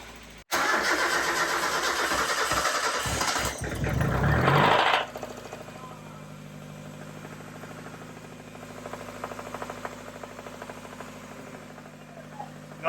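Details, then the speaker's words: Replacement engine, supposedly from a 1995 with 90k miles, just installed; cranks, catches and idles with a light, fairly regular tapping knock underneath, heard just after starting before warm-up; owners suspect rod knock, unconfirmed, meaning deeper engine work. "This sounds a lot like rod knock, which means that we would have to dive deeper into the engine than we anticipated."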